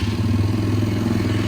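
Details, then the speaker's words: Four-wheeler ATV started after replacing a main jet whose hole was oversized, which caused it to die when the throttle was mashed; not yet warmed up, idle slightly high: brisk, even idle with steady low thump and light clatter; runs fine. "All right, let's fire this thing up, make sure it still runs good. I know I need to turn the idle down a tad."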